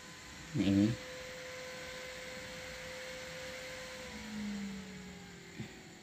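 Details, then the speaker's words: New 12 cm DC fan on a 12 V DC speed-controller (dimmer) module: even whirr with a mid-pitched tone dropping smoothly as speed is turned down; slightly noisy but normal running. "Oke ini ini kipas DC baru selesai ya guys lumayan agak sedikit berisik suaranya"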